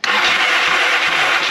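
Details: 1982 Yamaha XS650 Heritage Special, new battery, coil and plug cables fitted, no spark: brief whirring crank from the starter with no firing pulses, engine never catches; switch suspected, diagnosis ongoing.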